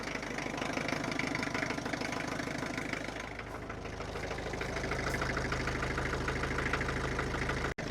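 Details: Land Rover Defender 110 diesel, off the road ten years, started on a new battery to test its faulty over- or under-charging alternator: even, steady clatter at idle, about three pulses a second, no misses or knocks, idling healthily.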